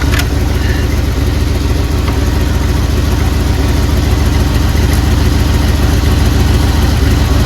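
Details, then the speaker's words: 1979 Jeep Cherokee AMC 360 V8, idling after sitting 3 years, before first drive; carburetor barely working. Steady, even low rumble with no misses, knocks or stumbles; owner thinks it's hitting on all 8, normal idle. "Listen to that 360 purr, guys. If it's not hitting on all 8, I don't know why it wouldn't be. It sounds like it is."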